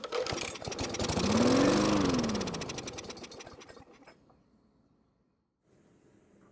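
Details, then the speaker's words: Free Poulan push mower kept outside a long time, not starting, flywheel brake safety bypassed, worn air filter: engine catches, revs about two seconds, then loses power and dies; starts but won't keep running. "so the good news is that the engine started and ran for a couple of seconds but the bad news is that it didn't stay running which is about what we expected"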